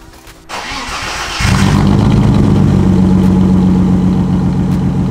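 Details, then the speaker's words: BMW E36 328i with M52 engine and straight pipe, heard from outside: a fast, slightly uneven beat with a light tick, a misfire; the lift also adds noise. Over-fueling while driving; owner suspects a coil pack isn't igniting, unconfirmed. "before I show you the coil packs I'm gonna let you hear the engine mist from the outside so you can add a bit more distinctly because the lift is also making a noise so it sounded like a beating knock"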